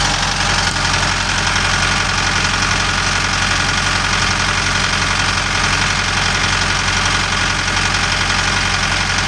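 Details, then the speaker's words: Kubota M6060 tractor diesel that bogged and stalled when warm from a fuel issue, running after rust debris was blown out of a 90° elbow and fuel lines cleaned and primed; steady even clatter, no surging or dropouts, thought to be fixed. "Looks like he's still out here running that thing, trying to get it to act up. I think we fixed this problem."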